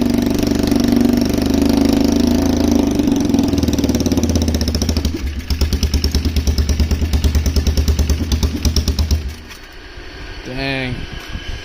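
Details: Polaris Trail Boss 330 single with its carburetor just refitted and no airbox, started on a little choke: it catches and settles into a steady pulsing run, then dies once the choke is turned off. It runs.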